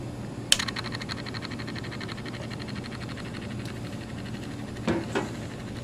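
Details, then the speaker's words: 1990s First Alert LS 230 mechanical lamp timer with peg trippers, stiff spots around the dial: constant low buzz with fast fine chatter and a few handling clicks; its small motor runs and keeps time but is noisy day and night. "even though I have trouble turning it manually it runs but it's just noisy"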